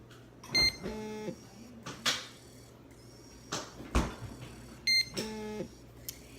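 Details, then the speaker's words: Insulin pump filling tubing after new cartridge and T90 infusion set: short buzzing motor bursts about four seconds apart between quick beeps in quiet room; normal fill until droplets appear. "And if you hear that vibration noise, it's putting the insulin into the tubing."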